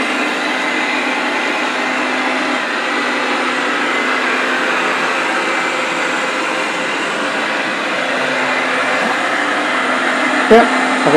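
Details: Eufy RoboVac 30C after its rattling suction fan was replaced with another one: a steady, even whir with no rattle, now working normally.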